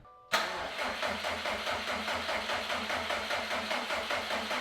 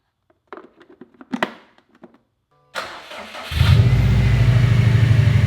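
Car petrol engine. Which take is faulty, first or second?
first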